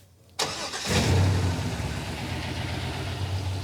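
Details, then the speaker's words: 1966 Corvette V8, off the road since 1993, after adding a missing intake air temperature sensor: it fires into an uneven, lumpy idle with a lopsided exhaust beat, at least one dead cylinder on one bank, running on six; spark plug wires are being checked. "when you listen to this side versus that side it's not the same these ones are all firing on this side yeah now come over here got a at least one dead hole over here yeah yeah this is not happy over here yeah the engine doesn't run right it's running on six cylinders"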